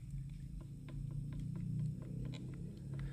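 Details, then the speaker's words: 2013 Toyota Highlander 2WD, 117,000 miles, blower motor removed and spun by hand: faint irregular clicks about three a second over a low hum; blower motor found to have play; replacement needed. "I don't feel any really play on this shaft but he we hear some clicking"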